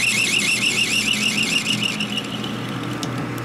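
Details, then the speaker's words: Machining the kicker gear ratchet plate on a 1957-70 Harley Ironhead XL: a shrill chattering squeal for about two seconds, then a quieter even cut once the carbide bit tip broke off; now cutting smoothly. "See much better it cuts now? Probably broke the tip off."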